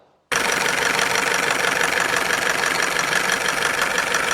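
Busy, uneven ticking rattle at idle, about three beats a second over the engine note, typical of a noisy VVT phaser.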